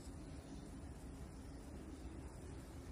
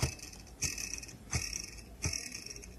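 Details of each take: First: Samsung side-by-side refrigerator RSH1DTMH after the fan noise repair and reassembly: only a soft, steady low hum, with no scraping or ticking from the fan. Running normally. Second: Samsung RSH1DTMH side-by-side refrigerator: sharp ticks about every 0.7 seconds over quiet fan hum as evaporator fan blade scrapes built-up ice.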